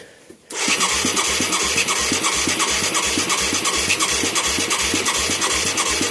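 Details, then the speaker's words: Mid-1980s Yamaha YFM200 Moto 4 ATV with new carburetor and plug: steady cranking at about three compression strokes a second, no firing despite good spark and wet fuel. "I'm amazed we're not getting a pop here. We got good spark. We got soaking wet shit right here."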